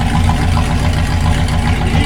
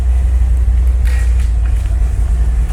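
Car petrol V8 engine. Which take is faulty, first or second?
first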